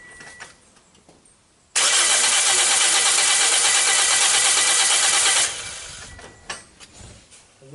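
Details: 2010–2011 Toyota Corolla with 1NZ engine, no start after a car-wash engine-bay detailing. Steady, even cranking about three turns a second for nearly four seconds during a compression test, never catches. Fuel, spark and battery voltage were checked; mechanic suspects low compression from water intrusion.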